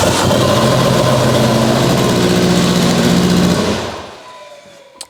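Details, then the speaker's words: Abandoned Mitsubishi Evo 8 restoration, first start, turbo return line slightly leaking, oil pressure sensor not working: very loud, raw, blatty idle sounding straight-piped though exhaust is reportedly fully hooked up; suspected exhaust leak. "it sounds like it's no exhaust it is loud I heard that that was very loud but it's not like you had a fat leak or something"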